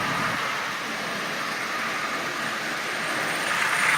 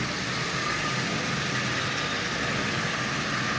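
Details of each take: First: Marx Santa Fe model train shell fitted with a micro motor in place of the original: continuous scratchy rasp over the motor whir. The larger wheels rub inside the shell; fitting the dummy wheels is being considered. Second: Marx micro motor modified with adapter, fitted to Santa Fe model train shell, pulling 12 cars: steady, even whirring hiss with no knocks or surges; normal running under load.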